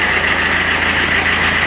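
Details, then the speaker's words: Citroën C5 diesel after refitting the exhaust, with the silencer washed with water: an even, steady idle with a regular low pulse and no exhaust-leak puffing or ticking; the connections are sealed and it idles normally. "On n'est plus en échappement libre. Donc tous mes raccords sont corrects."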